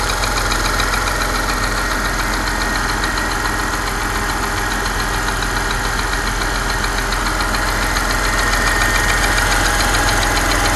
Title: Porsche Panamera 4S, engine ticking sound?